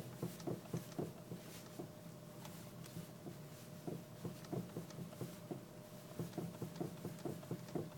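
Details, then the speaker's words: Honda Civic 4D with about 87 thousand mileage; dull quick clunks about four a second when rocking the steering wheel back and forth; owner suspects the steering rack. "всем привет застучала рейка пробег почти восемьдесят семь стучит вот так при покачивании руля"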